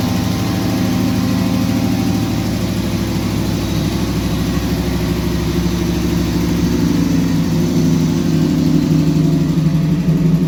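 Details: 1998 Pontiac Firebird Trans Am after fuel pump reconnected and distributor timing adjusted (timing had been out); steady, even idle with smooth low rumble lifting slightly toward the end; normal idle.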